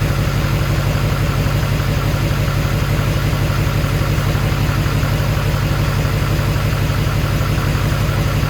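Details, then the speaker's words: HMMWV Humvee with swapped Duramax LBZ diesel and newly installed FASS lift pump, just after first start: deep even idle pulsing about three beats a second with no knocks or misses, sounding just as it should; oil a little low. "I mean the engine sounds amazing it sounds just as it should"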